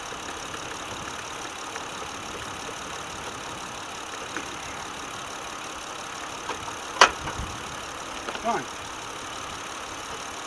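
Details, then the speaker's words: Car engine with throttle body idling after cleaning the throttle body with carb and air intake cleaner, clamps and vacuum lines refitted: quiet, steady idle with no stumble or sputter, a couple of brief handling knocks; normal idle. "you would hear it if i if i mis messed something up because the vacuum line was up this thing would be a little bit sputtering and carrying on and all the happy jazz"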